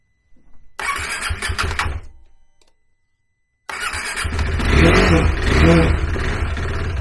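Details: Cold KTM 390 Adventure single after the PowerTRONIC ECU was plugged in: it catches roughly, sputters and dies, then refires into an uneven run. Owner suspects air in the fuel system after removing the fuel tank; it wouldn't start until given wide-open throttle.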